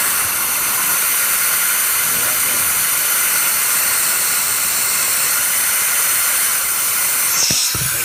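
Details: Hot no-start, cylinder air test with engine stopped: steady, even high hiss throughout; air escaping under test, leak point unknown.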